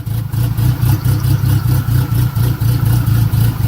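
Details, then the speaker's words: Turbo Mitsubishi 4G63, exhaust cam gear advanced 3 degrees, first start: loping idle swelling and dipping about four times a second, choppy cammy lope from the advanced exhaust cam timing. "so we advanced the timing on his exhaust on his cam three degrees right here so uh yeah now we're gonna fire it up"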